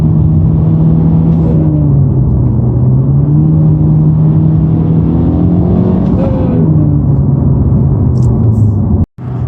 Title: Honda Civic Type R buzzing sound when clutch depressed